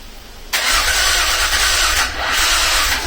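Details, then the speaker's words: V6 kit in Mazda MX5, first start attempt: about 2.5 seconds of loud even cranking, stops with no catch; owner suspects weak battery cranking power. "Starting to think it might be my battery just doesn't have enough cranking power to turn the engine over and get it started, so we'll see."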